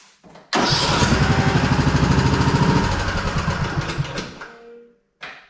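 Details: Husqvarna Rider 213C lawn mower, hot after running an hour or more: steady starter churning about three compressions a second for four seconds, never catching; hot no-start while cranking.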